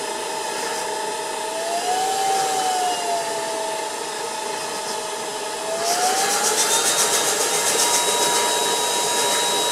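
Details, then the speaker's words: Ultenic U10 cordless vacuum, set to normal speed, finger moved in the inlet to trigger the infrared dust sensor: steady high motor whine steps up in pitch and loudness as it speeds itself to maximum and the LED turns green to orange. "Vous entendez le moteur qui accélère. Ici, on est passé à l'orange. Vous voyez, il accélère tout seul et il se met en vitesse maximum."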